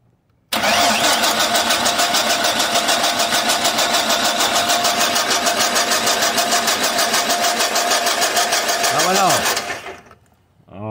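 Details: 1996–2003 Chevrolet Silverado/Sierra/Tahoe/Suburban (4.3, 5.0 or 5.7 engine): steady fast starter cranking, about three turns a second, nine seconds without firing; no spark, owner suspects a broken white wire in the ignition wiring.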